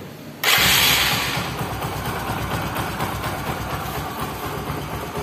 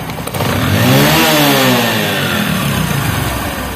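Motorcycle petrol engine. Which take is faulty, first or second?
first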